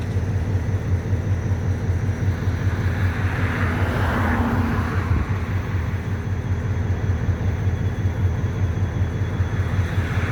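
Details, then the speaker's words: EMD MP15 switcher locomotive (DO-1's second unit) running rough and smoking right after a hard cold start on weak, dead batteries; deep, heavy diesel chugging at a bit over one beat per second. "She's smoking. I gotta tell you, that was a cold start."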